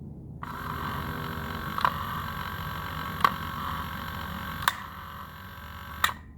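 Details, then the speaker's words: 1980 Mercedes 300SD W116 power antenna motor, reassembled on the bench after straightening a bent part, before loading the mast: steady even motor whir with a light click roughly every second and a half; works as intended. "All right, perfect. That's how we want it to work."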